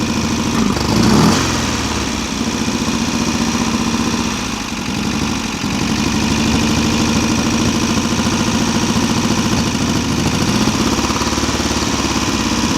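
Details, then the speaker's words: VW Type-3 Fastback air-cooled carbureted flat-four, first start after reinstalling the engine with its loose heads retightened: light, quick ticking at three or four a second over a steady idle. The owner suspects his valve adjustment is off; the valves need readjusting. "Valves are a little noisy. I probably messed up when I adjusted them, but it's running."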